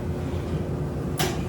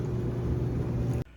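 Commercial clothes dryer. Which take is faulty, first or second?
second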